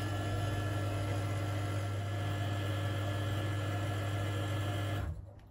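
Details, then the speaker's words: Stuart Turner Mainsboost water booster pump, heard with the cupboard door shut: steady low electric hum with a faint whine, cutting off cleanly at five seconds once the vessel is recharged. Normal pump recharging the accumulator. "you can hear that that's recharging the vessel because we shut the time and that sound with the door sure"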